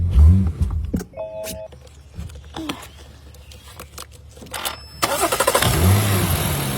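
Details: 2006 BMW 325xi (E90) after no-crank no-start with no communication to ECU and EGS, fuses checked and booster connected: clicks and chimes, engine cranks briefly and catches promptly, settling into an even idle; normal start.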